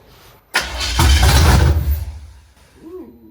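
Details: 1970 Chevrolet Impala, first start attempt in 4 years, carburetor just fitted, throttle-primed, distributor only static-timed, vacuum lines not hooked up: starter grinds, engine fires and roars about a second, then dies. Smells of old fuel.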